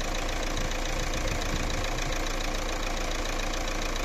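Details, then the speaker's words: Fiat Doblo 1.9 JTD (Opel Z19DT 1.9 CDTi) diesel after a full rebuild: new pistons and rings, head overhaul, turbo repair and new engine mounts. It warms up with a steady, even idle clatter and no knock or misses: normal diesel idle. "ну шо мы ласточку собрали что я могу сказать звук совсем двигателя совсем вообще не узнать"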